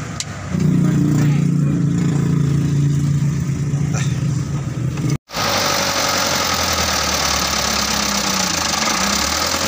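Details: Mitsubishi Canter 125 diesel truck that was hard to start, heard after the injection pump was bled and its timing set: steady idle clatter with a brief dropout midway, then it picks back up and holds. It runs, though not perfectly.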